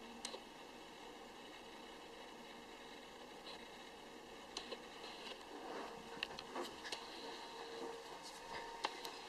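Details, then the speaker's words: Spare bedroom where a water heating unit, hot-water recirculation pump and HVAC/air conditioner can be heard: steady low hum, faint constant whine and odd clicks carrying into the room, vibrating the chandelier; excessive equipment noise leaves the room unusable for sleeping. "In this room, you can hear the water heating unit, the recirc pump, and the air conditioner. This bedroom is now unusable for guests. Nobody can sleep in here."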